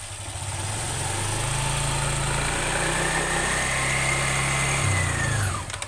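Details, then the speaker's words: Honda Vario 125 scooter CVT: smooth as revs rise, but as throttle closes a loose tek-tek rattling clatter appears, described as fading at 3000–5000 rpm; worn, sloppy CVT pulley (variator) sliders. "perhatikan lagi ketika RPM naik dia halus suaranya ketika RPM turun dia tek tek tek tek tek tek tek tek tek"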